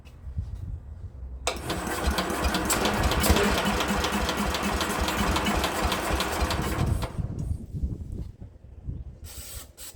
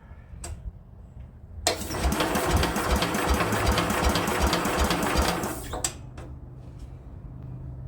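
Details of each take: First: Speedex model 1630 garden tractor, single-cylinder engine (likely not original) with belt starter, after fitting a new carburetor: catches after a few tries and settles into a steady quick putter; runs. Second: Speedex 1630 garden tractor with a new carburetor and a belt-driven starter, engine likely not original: about four seconds of steady starter churning at roughly two to three turns a second, with no firing. Cranks but won't start.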